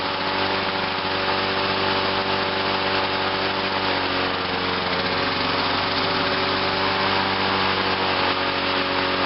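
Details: 1986 Lawnboy 8461 Commercial mower, started on choke: steady high-pitched buzz holding even speed without misses or surging; normal running.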